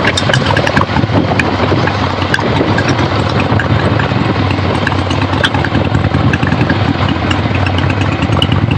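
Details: 1975 Harley-Davidson XLH Ironhead Sportster, freshly rebuilt and basically stock, on a road test ride with the camera clipped to the rider: loose, lumpy V-twin beat with wind and road rush, no knocks or misses; runs great, healthy.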